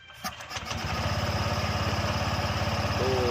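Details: Honda Vario 125 scooter after replacing CVT parts including the rollers, following an odd noise while riding: starts and settles into a steady, even beat around three pulses a second with no rattles, drive running normally.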